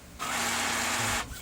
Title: gear noise when gets paper #brother Dcp-T420w, #fixed #broken #gear